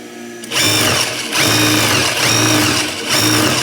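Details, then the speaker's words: Old Juki industrial sewing machine, somewhat rusty, motor noisy but runs pretty smoothly: short bursts of even whirring hum rising and falling with the pedal, no grinding or clatter; normal running. "it runs pretty smoothly."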